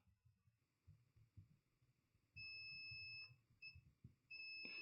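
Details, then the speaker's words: Dead Mobicel tablet with no power: the meter gives a solid, high continuity beep each time the probe lands on ceramic capacitors around the MediaTek MT6323GA power management chip. They are shorted to ground, and the PMIC is suspected faulty. "let's check the capacitors let's let's check the capacitors around the chip this is short this is short this is"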